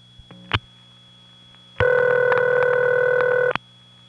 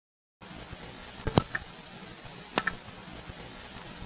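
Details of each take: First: 1979 Raleigh NC call to a crossbar 5 office over squealy wire trunks. Two long ringback bursts, about two seconds each, roughly six seconds apart. Standard crossbar 5 ringback. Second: 1979 Raleigh NC recording, enhanced to be heard up close. Quiet room with two sharp mechanical clacks about a second apart. The trouble recorder dropping its card on a suspected fault.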